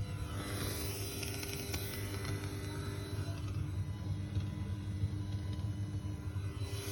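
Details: Apogee Duet 3 audio interface used with a Yamaha MODX: constant low buzz with a thin high whistle appears once the keyboard's USB is connected alongside the audio input. It stops when the USB is unplugged and persisted despite changing cables, hubs, laptop and desktop.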